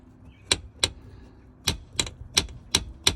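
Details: Ford Mustang Mach-E, just back from a high voltage battery junction box repair: sharp plastic slaps, about seven in three seconds, no motor sound; the wheel well liner is loose from a missing clip.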